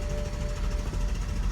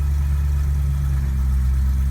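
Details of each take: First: 2008 BMW M3 (E92, S65 engine), right after filling the tank: Start button pressed and the starter churns steadily, cranking and cranking without firing; hard start occurs occasionally, cause unknown, and the third attempt starts. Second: 2008 BMW M3 (E92, S65 engine) after a hard start following a tank fill-up: the third attempt starts right up into a deep, steady idle with an even beat and no misses, taps or rattles.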